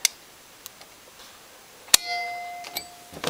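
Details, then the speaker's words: Sangamo SSA4 mechanical time switch by Warburton Franki, likely mid-to-late 1950s, 20 A max, under restoration and tested: sharp metallic snap and short ringing ding as the off trigger trips the lever and contacts flick open; normal. "camera won't pick it up, but you actually hear a little, like a little click or a clunk, and that's the motor kicking back and correcting itself."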